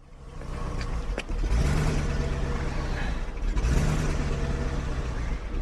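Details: 2001 BMW 740iL cold start after 10 days parked at -10 to -25: engine catches, revs swell and drop with shaky uneven note, rough hunting idle, attributed to moisture in fuel.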